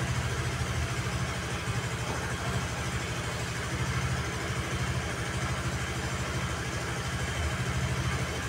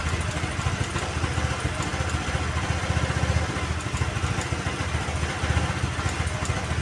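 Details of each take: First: Honda Vario 110 (KVB) carbureted scooter after carburetor adjustment with the auto choke dealt with, idling off the centre stand: a steady low putter with an even beat, no dips or stumbles, not stalling; normal idle. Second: Honda Vario 110 (KVB) carbureted scooter: a low, uneven idle that sags and picks up again, and the rpm rises on its own after the throttle is released instead of dying; carburetor air screw mis-set and the auto choke faulty.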